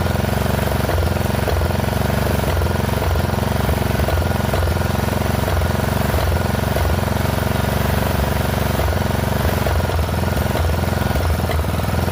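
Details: Poulan XT 12538 riding mower, 12.5 hp single-cylinder, 38-inch deck, warm, after fitting a new carburetor (old one leaked fuel into crankcase): steady idle chug whose speed dips about every 0.7 seconds, rhythmic hunting. Rough running, surging; owner suspects valves not set right.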